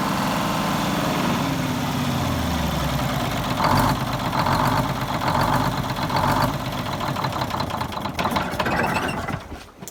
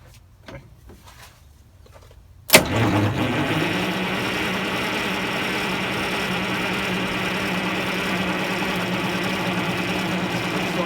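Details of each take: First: 74-year-old Greyhound bus diesel started from a new start-stop box after rewiring, to check a leak: a deep, steady rumble settling into an even idle with no misses or knocks. The engine runs normally. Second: 74-year-old Greyhound bus diesel during fuel-system work, with a helper holding the fuel while cranking: after quiet, the starter cranks at about four turns a second without catching. Crank, no start; an airlock in the fuel is suspected, not confirmed.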